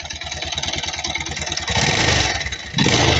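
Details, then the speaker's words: Kawasaki Rouser 220 motorcycle running with loud uneven clatter and harsh rasping that swells with revs, strong vibration; mechanic says the noise is not normal for a 220. "Okay, so sobrang ingay, no? Hindi kasi normal to pag ganito sa 220."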